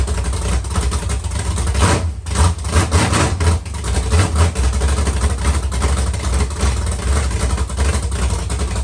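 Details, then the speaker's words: Carbureted LS7 V8 with Stage 3 cam and heads in 1971 Camaro, first fire with no coolant circulating: deep loud rumble with uneven loping cam chop at idle; running healthy. "so here you guys go we have ls7 you can kind of hear the cam chop in there a little bit"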